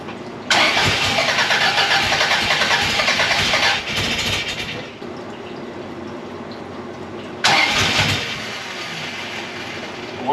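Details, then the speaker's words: 1982 Fiat 124 Spider engine, rebuilt twice, with valve shims replaced and timing just set, on first start attempts: long cranking with a few weak firings that never catch. Ignition timing is still being tweaked and it won't idle. "all right so we're still chasing in a little bit but we got some fires off there um it's just going to take some more tweaking"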